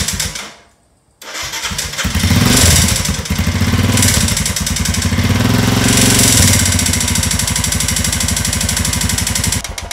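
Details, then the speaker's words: Himalayan 410cc single-cylinder motorcycle starting and running with a loud, steady metallic knock every turn. Timing chain was first considered, but teardown showed piston slap: big chunks missing from the piston top and a possible crack at the gudgeon pin. "could be timing chain and here's the problem a little bit of piston slap going on there"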